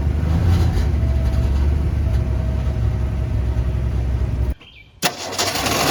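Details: Unrestored 1964½ Ford Mustang coupe, possible fuel or water pump leak; deep V8 burble runs evenly at idle with no ticking or knocking, then cuts off abruptly; normal start and idle.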